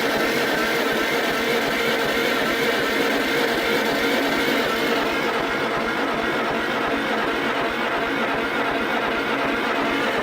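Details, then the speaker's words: 1947 Farmall Cub, engine just reassembled with fresh oil: cranking on the starter at about three beats a second with no bottom-end knock, but the oil gauge shows no pressure; owner suspects a faulty gauge. "Well, I know I got oil there, but I don't know if the gauge ever worked. Maybe it that's a faulty gauge. It's not working."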